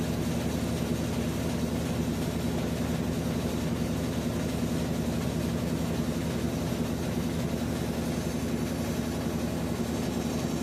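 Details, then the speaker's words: Whirlpool top-load washer WTW4816FW3, bought new July 2023, circuit board already replaced: steady low droning hum with faint uneven rumble, no drain sound, as it runs a second, longer spin cycle after loud grinding. "So it went to spin cycle twice. The second time is longer than the first time."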